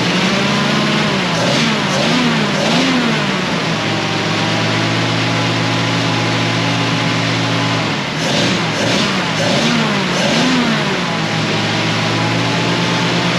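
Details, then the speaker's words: 1937 Ford 59AB flathead V8, straight-pipe dual exhaust, recored radiator, just started cold: loud crisp burble with two sets of quick throttle blips rising and falling cleanly, lumpy idle, owner unsure if cammed; oil pressure near 30; normal running. "oh that's a lot louder that is a lot louder than i thought it was going to be"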